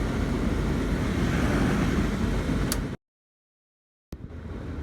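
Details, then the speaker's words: 1996 Dodge B350 van heater blower on high after replacing the blower fan resistor (old one broken and corroded, so only high speed worked): strong, steady air rush with even hum, no ticking or rubbing; normal blower fan at high speed. "So now I have replaced the ignition, the blower fan resistor, and you can hear right here. Let's listen to all our different fan speeds. There's high."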